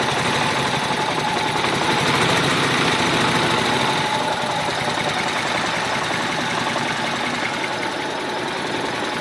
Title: 95 g20 rough idle